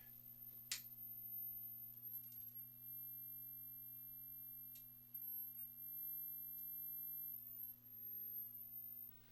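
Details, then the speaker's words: Arcade CRT monitor after a part was replaced, fed by a signal generator; steady thin flyback whine over low mains hum, high voltage and heater present, but horizontal and vertical sync still faulty. "sounds like we got high voltage got a heater great like we got some sink issues"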